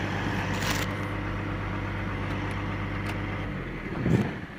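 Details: CAT 345 excavator diesel with error code 36-268-2, engine speed rising and dropping intermittently as if shutting down: low droning note that wavers and dips, speed not holding steady; engine surging.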